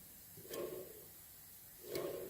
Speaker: you can hear that bearing it's making a little bit of noise here's reasonably quiet